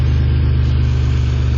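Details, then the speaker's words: 1988 2.8 L engine and transmission, complete with alternator and AC, oil recently changed, new plugs, wires and transmission filter: deep, steady idle with evenly spaced firing pulses, no knocks, ticks or misses; smooth, strong engine at normal idle. "Let's hear it run. Strong. It's a great engine."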